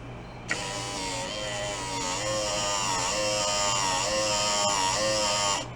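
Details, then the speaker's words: 1986 Oldsmobile Cutlass Supreme Brougham that sat five years: power window motor whines about five seconds, pitch sagging and wavering under load, labouring more in one direction. "definitely complains one way more than the other hopefully the complaining ways on the way down where it's not working as hard"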